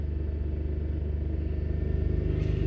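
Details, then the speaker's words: 2008 Skoda Fabia 1.2 three-cylinder petrol, revving; throbbing note with regular uneven pulse quickening with revs; misfire counter climbing fast on cylinder 2 when revved; coil pack to be swapped to cylinder 1 to test. Cylinder misfire. "if I check the fuel trims and everything now it's not gonna be right because obviously we're definitely getting a misfire and we're not gonna be burning the fuel correctly right"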